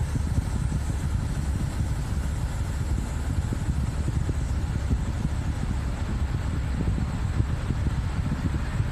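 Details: Subaru Outback idling with AC on: steady low idle rumble with even blower hush, no squeal or clatter; AC running normally, nearly 20-degree vent temperature drop within 30 seconds.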